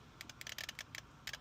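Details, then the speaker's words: 1991 or 1992 Ford Mustang Foxbody convertible with a no-start and no fuel pressure after a fuel pump replacement: faint, quick, irregular clicking in bunches from the relay area as relays are touched; faulty fuel pump relay losing contact. "there's a clicking going on in there. So, I'm like, "Okay, pull this shitty relay out.""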